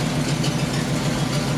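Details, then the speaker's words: Squarebody C30 crew cab dually with a 454 big-block V8 idling after repairs: deep even burble with a steady beat and no knocks or skips, sounding much healthier, though described as throaty and lumpy before idle adjustment; normal idle. "that sounds way healthier dude we really did something here i'm proud of us"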